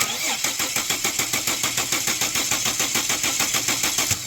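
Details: 2006 Ford Falcon cranks evenly at roughly two turns a second but never catches; compression sounds healthy, 40 psi fuel pressure, injector control present, runs on starting fluid; no-start traced to water-contaminated fuel in the tank.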